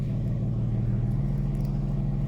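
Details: Peugeot 406 V6 manual petrol idling with a steady, even low hum and no stumble or miss, after fixing a cylinder 5 misfire that had also caused limp mode; the misfire and limp mode are now gone.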